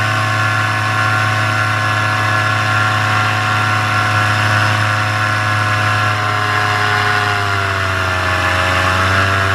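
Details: Paramotor two-stroke in flight, throttle held wide open: high, even drone with steady RPM and no surging or dropouts. This is the healthy full-throttle baseline, recorded before the engine later began losing power and bogging.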